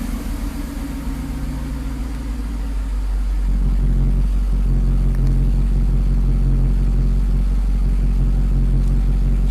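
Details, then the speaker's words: Mercedes V8 cold start after owner's own rebuild of the mechanical fuel distributor (previously ran on 5 of 8 cylinders after a bad rebuild): catches quickly, steady even low rumble at raised fast idle that then drops, no stumbling; running open loop, healthy. "as you can see the car fired right up fast idle went up and went down the CT start Works"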